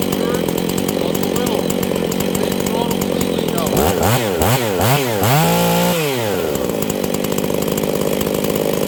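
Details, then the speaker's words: Husqvarna 268 chainsaw running poorly, being checked for a lean condition: idles steady, then pitch swoops up and down as the low jet goes one full turn rich to lean, then set half a turn, holding a smooth high note; low-speed mixture adjustment. "it was one full turn all the way out until it started to get too rich and wanted to die then I turned it in until it wanted to die that was one full turn from lean to Rich I then turned it out in between is half a turn"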